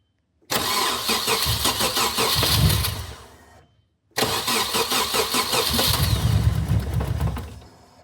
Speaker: Okay. First startup with the new turbo.